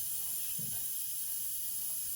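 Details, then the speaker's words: Basement, house water main slowly reopened after replacing an outdoor spigot: thin, steady high hiss as water refills the lines and pressure builds, taking a long time before stopping. "hissing. There we go. That took a long time, but finally stopped hissing."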